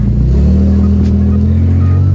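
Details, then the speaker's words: Infiniti G35 with Tomei exhaust, Megan Racing Y-pipe and test pipes idles loud and rough with a deep chugging rumble like a tractor; both Y-pipe flex pipes completely shot, leaking exhaust, before repair. "both of the flex pipes were completely shot out it makes my car idle uh like a tractor"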